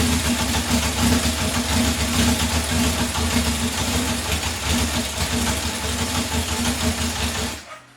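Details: 1978 Honda CB750 K8 four-cylinder, first start during pre-rebuild troubleshooting after starting/ignition system work, carburetor reinstalled, exhaust reconnected, temporary fuel supply: steady, slightly lumpy idle, then clean cut-off; normal idle, it runs.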